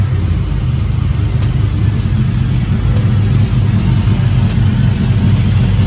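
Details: Truck running after a misfire traced to a spark plug wire lying on the manifold, possibly after pressure washing; a deep, smooth, even rumble with no stumble or skipped beats, all cylinders firing cleanly.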